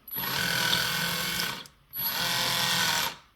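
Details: Kabolite K961 excavator left track squeals loudly when turning, in two high buzzing bursts with a thin whistle, from excessive track tension loading the track drive motor; before the fix, right track quiet.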